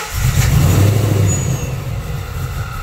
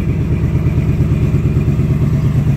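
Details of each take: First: 2019 Ford Mustang Gen 3 Coyote V8 with Vortech V3 supercharger (3.6 pulley, about 11 psi), after a spark plug change: cranks, catches, dies, then restarts into a lumpy, uneven rumble because the cylinder 3 ignition coil was left unplugged. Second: 2019 Ford Mustang Gen 3 Coyote V8, Vortech V3 supercharged (~11 psi), after replacing 10,000-mile spark plugs over an intermittent miss: deep, even burble, steady fast pulse, no stumbles; runs cleanly.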